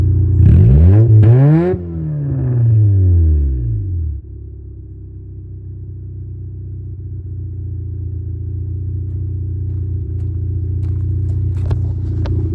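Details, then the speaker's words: 1989 Honda Civic EF sedan revved for four seconds, loud deep blare falling back to a low droning idle; rear exhaust pipe broken off and missing, exhaust open at the back; broken exhaust leak. "So the whole back end of the pipe is missing. Everything under here is gone."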